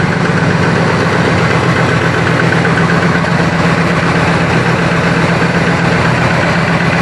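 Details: 1965 Chrysler 300 convertible V8 after a worn distributor was replaced with an electronic ignition conversion, timing set to 10°: loud but steady idle, firing evenly without stumble. It now revs better past 2500–3000 rpm. Normal idle.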